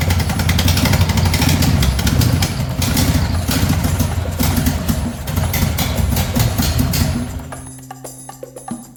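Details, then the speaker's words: Racing mower twin engine after valve adjustment and new 34 mm performance carbs, fuel pump and filter: runs loud but choppy and irregular, then dies; bogs at full throttle, suspected lean, may need a different jet. "Sounds a little bit choppy. I might need to put a different jet in it."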